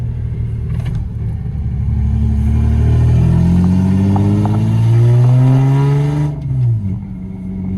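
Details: Lexus SC300 driving at about 1000 rpm with its exhaust broken again: loud, deep, rough, raspy drone that climbs with the revs then drops off, like a hot rod; broken exhaust.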